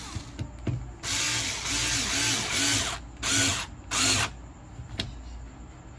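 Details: Angle grinder/polisher after being opened, cleaned and re-greased to cure a strange noise: several short bursts of high whirring that spin up and wind down smoothly, with no grinding or rattle; runs normally after repair.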